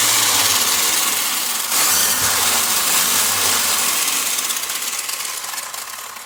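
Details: WL Toys 124016 RC car bench-run after replacing a bad wheel bearing dug out of the steering knuckle, wheel slop removed, battery fully charged; even, steady motor whir with tyre hiss, no knocks or rattles, drivetrain smooth and healthy.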